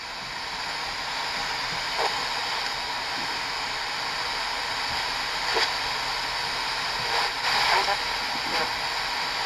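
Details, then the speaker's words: Panasonic RQ-A220 portable AM/FM stereo cassette radio, early 2000s, running on two AA batteries, on the FM band: constant static hiss with faint program bursts underneath; fuzzy FM reception. "as you can hear it's pretty [Applause] fuzzy"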